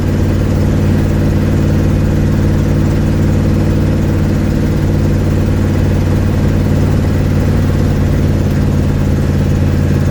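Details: 1972 Ford Mustang driving home, phone mounted in the dash, leak not yet fixed: even, throaty engine rumble at cruise with a loose, uneven pulsing underneath, like exhaust escaping before the muffler. Exhaust leak.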